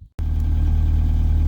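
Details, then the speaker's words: Rover Classic Mini MPI after in-tank fuel pump replacement and battery recharge, about eight or nine litres of fuel in tank; deep, steady, even idle with no misfires or ticks, engine running normally. "so what a relief the thing's going"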